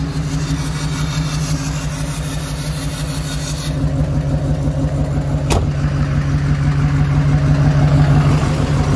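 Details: Duramax diesel engine in the Killin It Mega Truck, running at idle during diagnosis: rough, lumpy idle with an uneven low beat around three per second as revs rise. Compression test finds one dead cylinder with no compression; owner had hoped it might only be the turbo.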